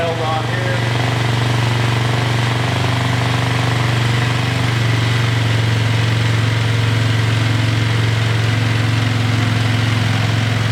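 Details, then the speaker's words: Single-cylinder engine after a carb rebuild: it keeps idling fast and steady even after idle-screw adjustment, a constant drone that won't settle. The owner suspects a tight throttle cable, which rubs against the tank and holds it open. "turn it off still idling really high I think the throttle cable might be tight"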